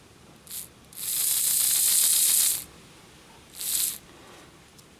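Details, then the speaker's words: Lima Express Parcels van model railcar drive with a 3D-printed replacement for a broken small gear, 9-volt battery on the rear contacts, running forward then reverse: short bursts of high gritty buzzing; gear possibly rubbing on back of wheel, wheel may need easing out. "looking at the um gear compared to the original and it looks like it's probably rubbing just a bit on the back of the wheel so maybe that wheel just needs to be eased out just a tad"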